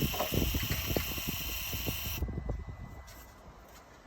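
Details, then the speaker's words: MCR machine fuel lift pump with the jump pack reconnected and ignition cycled, compared with the weaker sound on a flat battery: a strong, steady high-pitched buzz for about two seconds that cuts off cleanly. Normal lift pump at full strength. "and we're going to recycle the ignition key, you'll hear that the fuel lift pump is much louder. So you can hear that it's much stronger."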